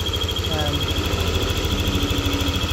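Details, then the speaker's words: Yamaha NMAX V2 scooter idling in neutral with a hot engine: a thin, steady high whistle over a smooth idle, which disappears when revved and returns at idle; source not yet pinned down. "So ayan na yung tunog niya, yung ingay na naririnig namin na kakaiba. So ibang-iba to kumpara sa mga vlog natin nung mga nakaraan yung mga ingay, kalansing, magaspang. So ngayon para siyang pumipito."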